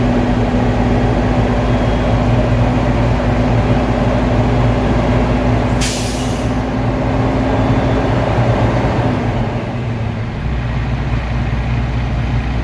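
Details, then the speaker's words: Diesel truck air brake test, in neutral with parking brakes applied: steady drone with compressor chugging, then sharp air hiss at cutout; governor cut out at 133 psi (limit 140), cut in at 121 psi; normal. "Okay, so my governor cut out at 133 psi. It was a good test because it did not cut out no more than 140 psi."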